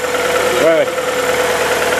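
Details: VW Polo after replacing ignition harness and all four spark plugs following a no-start and coolant leak: quick throttle blip rises and falls cleanly, then smooth steady idle without misses or knocks.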